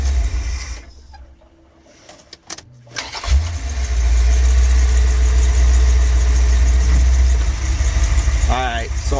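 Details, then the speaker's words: V8 with used Edelbrock 650 carburetor, warmed slightly, air cleaner on, no choke: shut off and restarted, catches at once after a brief crank and settles into a steady even low idle; normal start and idle. "Let's see what happens when I put it in gear. Idle's good. We'll try the shut it off and start it back up."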